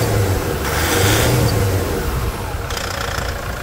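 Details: 2006 Toyota SW4 3.0 diesel, start after removing the engine to replace leaking seals and changing radiator and brake fluid: catches with a brief rev, then steady even clatter, no knocking or misfire; healthy idle.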